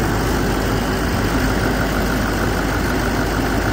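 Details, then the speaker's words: 2013 Chevrolet 3500 with 6.6L Duramax diesel, started cold after replacing one of two alternators whose bearings were whining: steady, even idle with a smooth low rumble and no whine; running normally. "No unnormal noises heard."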